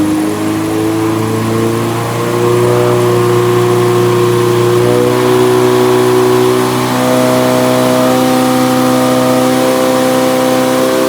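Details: Nissan 180SX Type X, SR engine, TD06 20G turbo, full-throttle dyno pull at 15 psi with injectors maxed near 255 rwkw: clean rising pull, pitch climbing steadily, no misfire, stutter or knock. Normal, healthy pull.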